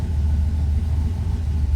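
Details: Turbo Dodge Dakota, first start on new Holley EFI ECU, coolant not yet warm; fast steady idle that won't settle. Cold-start enrichment keeps idle too high; owner plans to trim fuel from base map.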